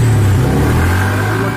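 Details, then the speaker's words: Suzuki Spin 125 automatic scooter that kept dying on the road, started on the electric starter after the fix through the spark plug hole: steady, even low hum with no knocks or misses; normal idle, no starter system problem. "sudah hidup ya jika tidak asli tidak ada masalah di sistem starter"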